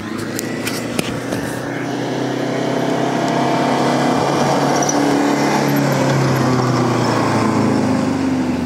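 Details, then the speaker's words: Mercedes W210 220D (OM604 diesel) on a test drive after exhaust pipe repair, with one silencer removed: steady, even exhaust drone, no leak hiss or puffing, not too loud; nearly OK. "Ei tuo nyt kovin paha oo, että vaikka yhden vaimentimen otti siitä pois. Nyt ei vuoda putkia. Se on melkein ok hyvä."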